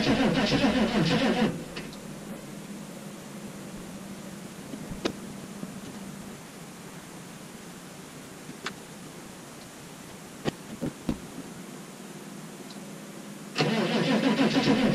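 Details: 6.5 turbo diesel at -15°F on a cold start, with batteries run down and probably only one battery connected because of a bad connection: two stretches of cranking at about four turns a second, never catching; cranks but no start.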